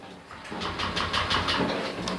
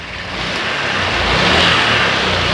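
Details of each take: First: Honda Click 125i scooter hard to start and won't rev, bogging on throttle: starter churns in quick pulses, about six a second, but engine never catches; clogged fuel injector. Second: Honda Click 125i scooter, previously hard-starting and bogging on throttle, after cleaning and reset: engine picks up cleanly and drops back evenly through several blips with no stumble; normal revving.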